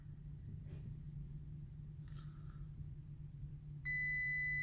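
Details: Salvage crashed 2019 Audi Q8 mild hybrid no-start with 73 DTCs, deployed airbags, ignition on after reconnecting MAF and air filter housing; cabin hum then steady high chime from cluster flagging safety system fault, plus low battery warning.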